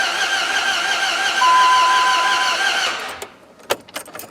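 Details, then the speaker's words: Dodge Ram 1500 with swapped 4.7 HO Jeep engine, codes cleared, battery charged 20 minutes: starter churns about three seconds, engine never catches, then clicks; only code fan 1 control circuit; crank no start. "don't sound good either this ain't good i think i got me a dead horse"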